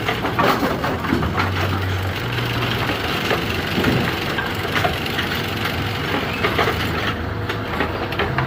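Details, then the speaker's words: Bowling pinsetter being cycled for a pin turret indexing issue: a popping grind with irregular crunches over the running clatter. Something is binding, source unidentified. "run until it fails oh whoa something over here made a a poppy grindy"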